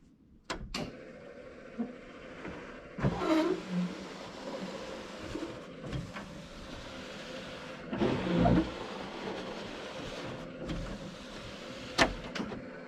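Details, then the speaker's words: 1969 El Camino SS being tested after assembly and rewiring: faint wiper motor whir rising and falling in separate sweeps about every four to five seconds; windshield wipers working but very slowly. "The wipers are kind of working. Yeah, pretty slow, but let's be honest, this isn't really you know, a rain car anyway."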